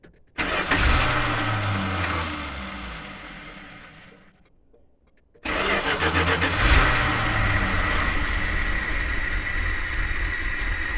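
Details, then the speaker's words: Carbureted V8 with freshly changed oil, new breather filter, cold start after about 24 hours sitting, rainy day: short crank, catches first try into a rough, lumpy cold-blooded idle; normal cold start. "Will it start? 25 hours since it's last started. I mean 24 hours since it's last started."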